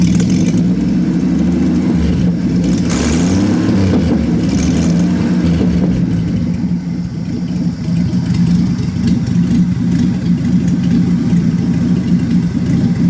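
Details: 1966 Chevrolet Impala 250 cid inline-six at low idle: lumpy, uneven beat with a short blip and small stumbles. Rough idle, cause unknown.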